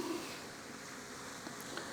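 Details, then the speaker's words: BougeRV portable propane water heater (12V-chargeable internal battery) turned up to a high setting: steady soft rushing hiss of gas flame kicking on, no popping or sputter; burner running normally as water temperature climbs. "Let's get it higher. You hear that when I turn it up, you hear the gas kick on."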